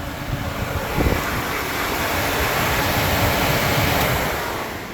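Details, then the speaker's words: Electric radiator fan on a Kubota V2203 diesel-swapped Willys Jeep with no thermostat fitted: a strong, steady rushing roar once switched on; the fan works properly and the engine never gets hot. "it rips and engine does not get hot ever"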